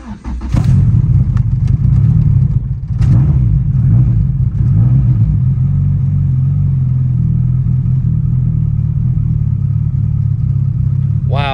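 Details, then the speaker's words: Car fitted with a Burton Racing cop kit starts after priming the fuel pump, following a long sit and repeated priming: it catches almost instantly on first crank, the fastest start yet, and settles into a smooth, steady idle. Normal start and idle. "that is the fastest like startup I ever had in this car"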